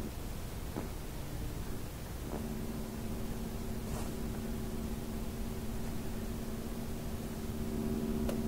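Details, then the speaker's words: AM radio picking up interference from a monitor power supply on a power bar: over soft static, steady droning tones come in about two seconds in after the monitor is switched back on, shifting frequency slightly with each power cycle. "so it just changed frequency ever so slightly when I turned it off and on"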